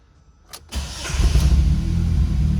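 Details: Fiat Siena, previously hard to start and losing power with exhaust pops and stalling from zero fuel pressure; once pressure reads normal (about 3.5 bar), a click and brief crank, then it catches at once and idles steadily.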